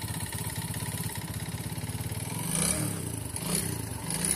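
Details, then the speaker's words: Bajaj Vikrant single-cylinder motorcycle with about 63,000–70,000 on the clock, white smoke: fast, even knocking clatter over the idle that rises with the blips; crankshaft play causing a knock. "जो आप engine का sound सुन रहे हो दोस्तों, यहाँ पे normal engine में इस प्रकार कोई भी साउंड आपको देखने को नहीं मिलेगा, लेकिन दोस्तों इस बाइक के अंदर क्रैंकशाफ्ट में थोड़ी बहुत प्ले आपको देखने को मिल रहा है।"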